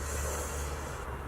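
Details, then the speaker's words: Mazda RX-7 FC turbo with no boost and damaged exhaust, intake pressurized with boost leak tester: steady airy hiss from back of engine, gauge not building or holding pressure; boost leak in the intake. "It's really not building up any pressure. Sounds like there's air coming from the back there, so"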